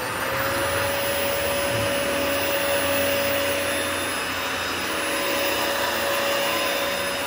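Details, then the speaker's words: Likely 1999 Cyclone XT-era commercial upright vacuum, early unit, brush roll fine: smooth even motor roar with one steady high tone, no surging, grinding or rattle; motor runs healthy. "so yeah thankfully it runs good that's my biggest thing is i'm happy that it sounds good so we'll go ahead and turn it on"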